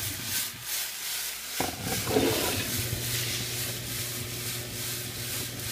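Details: DuraBULL rotary jewelry tumbler with steel shot: loud rhythmic swishing rattle about three times a second with a low hum underneath; normal but extremely noisy operation.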